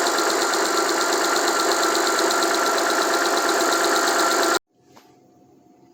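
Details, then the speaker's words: Alfa Romeo 156 Busso V6, first start after two to three years sitting, fuel system bled; even, busy idle holds with no stumble or heavy knock, then cuts off cleanly; runs properly, only minor faults noted. "looks like okay engine is running for maybe three or four minutes and everything seems to be functional only some minor problems or minor minor faults"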